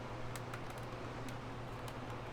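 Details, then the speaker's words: Tower fan motor, tested after disassembly, cleaning and lubrication, held off the ground: quiet steady hum with no squealing or scraping; normal motor run. "And if you want to go ahead and plug it in and see if it works. I don't hear any squealing."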